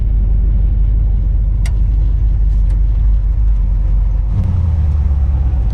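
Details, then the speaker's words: 1959 Chevy El Camino, off the road 29 years, driving after the missing driveline carrier bearing bolts were installed (owner may not have fully torqued them). Steady low road rumble with no grinding or scraping from the driveshaft; quiet driveline, the earlier grinding noise is gone. "All right, it's not making the noise. I think we solved the problem."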